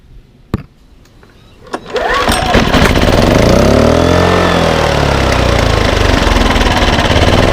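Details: Baliy 3700W portable generator, unused for over a year, after a carburetor cleaning, a new spark plug and rotating the econo servo back: a couple of pulls, then it starts in econo mode and runs steady with no misses or surging.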